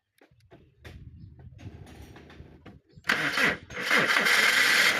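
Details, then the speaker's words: 2003 Toyota Wish that was a crank-no-start because its ECU was not powered or connected: a few seconds of quiet cranking, then the engine catches cleanly and settles into a steady, even idle once the ECU is powered. "So it was a crank no start but this time it's able to run. The engine is running as you are able to see or to hear."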